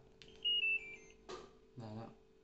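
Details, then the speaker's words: LG washing machine repaired after a PE error: a short falling chime sounds when start is pressed, then it goes quiet; the washer accepts the start command and works normally. "อ้าโอเคครับก็ระบบทำงานปกติแล้วนะครับ"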